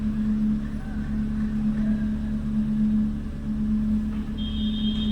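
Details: Renault Kwid with check-engine light (DTC 0313F8/031366 low-fuel misfire codes) after repair, restarted and light off: smooth even idle hum, steady low tone, no stumble or missed beats; normal idle, no misfire.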